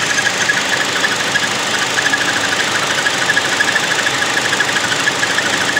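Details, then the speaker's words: 2016 Chevy Sonic 1.4 turbo Ecotec at idle: quick high bird-like chirps about three per second over steady idle, fading when revved, louder with AC on; pulleys spun fine off the belt, noise returns louder with belt on. "now i got like bird chirps so it squeaks but it's not like crazy but when you give it gas it kind of goes away so well it does go away"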